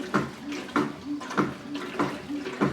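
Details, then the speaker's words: Curb-found Whirlpool Cabrio WTW8900BC0 washer knocking when the agitator changes direction; a hollow thump about every 0.6 s in time with agitation. Owner suspects a worn agitator assembly; on another Cabrio a similar knock was a loose magnetic drum bolt. "I do kind of remember that knocking noise on my current Cabrio though. I remember that happening because the magnetic outer drum on the bottom was loose."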